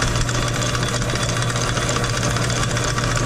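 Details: Sidney Machine Tool lathe, about 100 years old, with a 110 motor. A steady, even low hum with a constant drone and no knocks, grinding or surging; it runs smoothly and sounds healthy.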